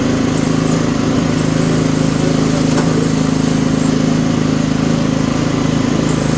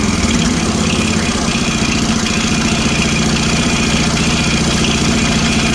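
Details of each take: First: Toro 724 OE 1000 Series 7 hp 24-inch snowblower engine, started with fuel on, throttle and choke set: steady, even drone with no skips or knocks; runs smooth and healthy. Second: Toro 724 OE 1000 Series 7 hp 24-inch snowblower engine running at steady speed after electric start, light rapid ticking over the exhaust beat; valve clearance found far too loose, needs valve adjustment.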